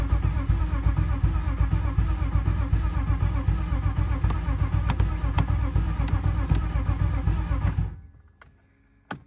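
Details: Cheap BMW E36 being revived, no fuel leaks, possibly bad gas; starter cranks with an even chugging beat for about eight seconds but never fires, crank no start, later concluded no crank signal so crankshaft position sensor to be replaced.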